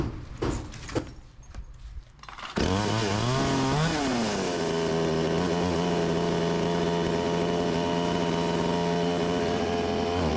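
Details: Stihl 20-inch chainsaw, new, returned by a customer: catches, climbs briefly, then sags into a rough gurgling steady pitch instead of revving out under throttle; bogging.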